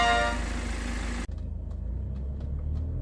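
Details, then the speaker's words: Genesis G80 after engine boring repair for the tractor-like noise caused by late oil changes: new crankshaft, new metal bearings, balancer and timing cover, then vacuum pump and turbo replaced. Smooth, even low hum with no knock or tapping; now quiet and healthy. "마지막으로 진공 펌프와 터보까지 교체 후 조용해진 제네시스 G80."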